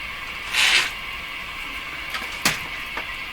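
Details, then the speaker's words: Hallicrafters S-40A shortwave receiver: light taps on the set trigger brief shrill squealing bursts over steady hiss, on any band. Microphonic oscillation, with a contact issue in the tuning capacitor suspected but not confirmed. "it's microphonic sort of what's happening man what's happening"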